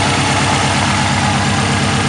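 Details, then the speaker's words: Subaru WRX after the Twisted Motion 20g turbo install: a loud, even idle with no ticking, exhaust leaks or rattle; idle is normal. "so she started up. Everything sounds nice, no exhaust leaks or anything. Idle is normal."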